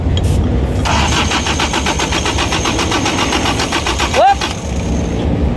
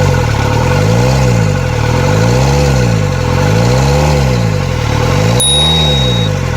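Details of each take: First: Diesel engine cranking steadily about three turns a second without firing; no diesel came out at the injector lines, injection pump not delivering fuel; magnetic (fuel cut) switch being tested next. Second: Repaired diesel (4GB1, injection pump rotor head fixed) revving in regular clean blips, rising and falling without stumbling; idle has risen and air is purged from the fuel lines.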